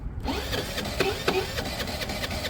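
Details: A friend's small Piaggio cranking rapidly with a ratchety sound, uneven knocks and a shifting note; it failed while being ridden and has good strong spark; owner suspects a bunged-up carb and dislikes the note change; cause unclear.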